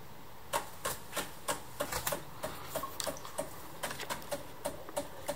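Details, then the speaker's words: Decent Espresso DE1+PRO during a shot: quiet, crisp, slightly uneven mechanical ticks about three per second from the pumps, not loud; normal pump operating sound. "it's kind of got this very mechanical you know talk to talk as the pumps make a make odd sounds doesn't have that rum or no sound like a lever machine it's so that can be a little distracting it's not loud so it doesn't you actually have normal conversati"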